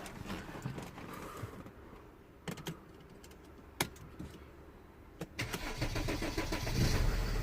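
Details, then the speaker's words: Mercedes ML320 CDI W164 OM642 diesel cold start after replacing the faulty module; light clicks, short crank, catches straight away and builds to a steady idle, problem fixed. "well just straight away really yeah really good really really good really happy"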